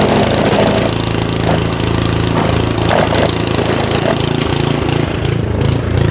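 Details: Simplicity SS922e single-stage snowblower just serviced, running outdoors in the cold about 50° colder than the 60° garage where it ran fine: fast rough idle swells and sags every second or so; surging, owner suspects the carburetor needs more cleaning.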